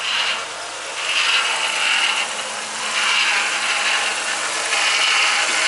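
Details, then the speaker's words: Ford BA Falcon after power steering line replacement, sat for weeks, half-litre refill, jump-started: high raspy whine and gurgling hiss swelling and easing every couple of seconds right after start; power steering pump whine, suspected air cavitation. "i really hope it stops making that noise in a hurry hopefully it's just air cavitating"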